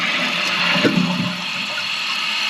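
A single strong rush of water drains and tails off evenly without hissing or trickling afterward; a normal, healthy toilet flush.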